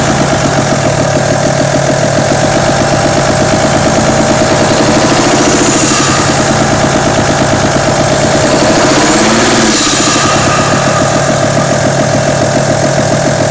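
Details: Audi A6 2.5 TDI diesel at steady idle: fast, uneven light rattle over the diesel clatter, valvetrain noise suspected from camshaft, hydraulic lifters or rocker arms; exact part unknown.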